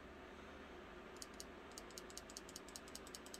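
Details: Espada XL folding knife: fast, uneven metallic ticking, two or three a second, from the closed knife; owner suspects something loose, cause unknown.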